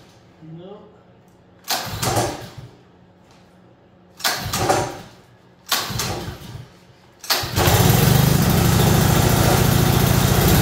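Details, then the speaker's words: Honda small pull-start engine, fuel not smelling too old, owner told it ran: three rasping pull-cord tugs, then it catches and holds a steady, even, fast chug; starts readily within a couple pulls and runs healthy. "up sweet well that's cool that's why people buy Hondas I guess but yeah that seemed to fire it up just took a couple pulls so uh that's a win"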